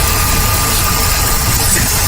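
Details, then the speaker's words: Ford Taurus with codes P0171 and P0174: steady idle with a thin constant hiss over the engine from a worn, split PCV hose sucking air; the engine stumbled when the area was sprayed, confirming the vacuum leak. "oh I hear it hissing right here hear that there's a problem right here yeah right there we got a worn out uh hose on the"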